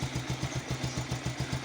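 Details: Pulsar single-cylinder idling with quick, even firing pulses about seven per second and light top-end clatter; steady healthy idle, filmed in connection with a timing chain noise and oil pump problem.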